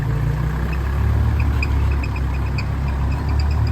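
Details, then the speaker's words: Diesel idling with the air conditioning on: a faint, irregular chirping tick rides over the steady idle, said to be a broken air-conditioning compressor bearing that is still awaiting repair. "ลูกปืนคอมแอร์แตกครับดังอยู่อดๆๆๆๆๆ"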